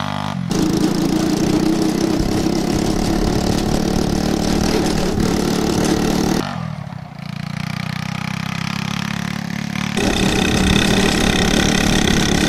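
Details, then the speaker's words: Yerf Dog 150cc shifter kart on test drive, temporary oversized wheels: single-cylinder buzzing hard with flat hollow note dipping and recovering under load; running lean. "you can really hear how it's running lean"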